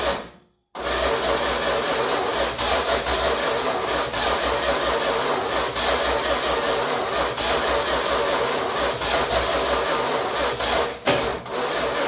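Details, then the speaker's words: 1966 Chrysler New Yorker V8 parked for 18 years, being drip-fed fuel into a carburettor that likely needs a rebuild: it catches, then runs raggedly with dips and stumbles, sounding bus-like, from fuel starvation. "Sounds like a bus. Right. Obviously not getting enough fuel."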